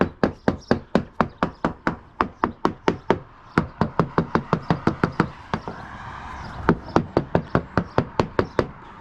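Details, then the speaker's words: Hammer-tapping the deck of a free Halcyon 23 fiberglass sailboat: each tap gives a crisp, sharp crack with no dull thud; sounds like very sharp fiberglass, possibly no core at all, nothing worrying. "Nothing that worries me. I wouldn't be surprised if there's no core in here at all. Sounds like very sharp fiberglass."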